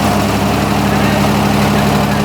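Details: 1987 Ford Ranger, engine rebuilt a second time, after moving the distributor back: catches and settles into a smooth, even idle with a steady low hum, no misses or pops; running right.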